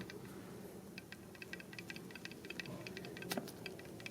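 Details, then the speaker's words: 1999 Toyota Corolla power steering pump, removed from the car and turned by hand: uneven gritty clicks, scraping and grinding from worn internals, replaced with a new pump. "you can hear a grinding sound."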